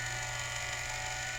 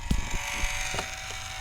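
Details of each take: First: Culligan Gold Series 9 water softener control valve after relubrication, regen cycle running: steady motor whir with slight strain as the piston moves in and out, not binding, working normally. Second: Culligan Gold Series 9 water softener (error 1H) during a forced regen: a few knocks, then a steady, strained motor whine as the valve drive spins all the way around; it is dry and is to be greased with non-lithium grease.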